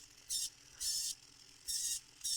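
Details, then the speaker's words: DSPIAE electric reciprocating sander Pro, about six months old, switched on; four short high whirring bursts with no stroke thump as the pad does not move, owner suspects a stripped gear train; motor runs but sanding pad does not move. "But this one, I just turned it on. It's not even moving. See? Wacky, wacky. Yeah. It's like the gear train is stripped out in it."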